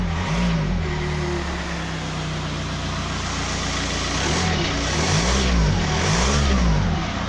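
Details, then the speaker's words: 2007 VW Touran diesel, about 118,000 miles, smoking; suspected blocked DPF back pressure blowing past the front exhaust gasket: rough puffing rasp over the engine note swelling with throttle; exhaust leak. "definitely this guest is escaping from somewhere"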